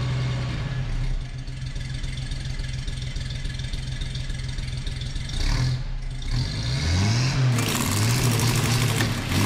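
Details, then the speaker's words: 1962 Chevy C10 on a lift after a $40 eBay single-exhaust kit install: deep V8 idle with a loose lope and throttle blips. Engine is normal, still slightly rich, and loud through the very cheap muffler. "Mucho better. Still runs a little rich, but it's not as quiet as I wanted."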